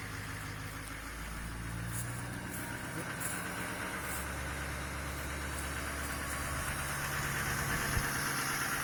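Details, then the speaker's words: Duramax LMM diesel pickup on a cold start near 4° in upstate New York, in automatic high idle about 1,050 rpm instead of its usual 720: steady even diesel clatter with no misses or knocks. "yeah normally it sits at about 720 RPM and now you can see it's up to you know about 1,50"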